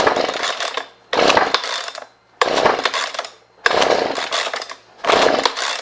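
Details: Husqvarna 125B leaf blower in for a no-start: five hard rope pulls, each a ragged crank with no firing, on full then half choke after priming; plug later found soaking wet and compression feels good; cause not confirmed.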